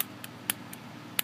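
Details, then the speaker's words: Nemesis clone mechanical mod: the fire button, pressed off-center, gives sharp irregular clicks, about six in a second and a half. It binds, then snaps and fires; a little oil helps only slightly. "it'll click. You hear that clicking? It's binding, and then it's firing. That's a little annoying."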